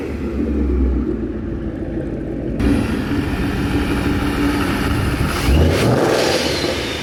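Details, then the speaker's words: 2011 Mustang GT V8 with a newly installed Paxton Novi 2200 SL supercharger on a base tune, first startup: a deep, steady burble with a crisp rev blip, no knocks or rattles; sounds healthy. "it sounds really good right it sounds healthy ready to make all the booze"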